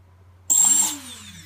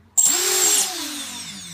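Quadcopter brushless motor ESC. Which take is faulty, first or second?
second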